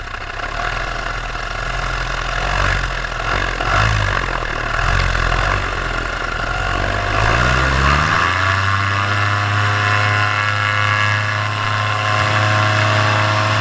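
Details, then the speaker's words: Paramotor two-stroke with under an hour of flying time, in flight on a full tank, throttle held wide open: it buzzes hard, wavers briefly, then settles into a steady high pitch. This is normal full-throttle RPM before the later bogging and engine failure. "And I'm keeping my throttle all the way open. And you hear the RPMs, they're staying steady."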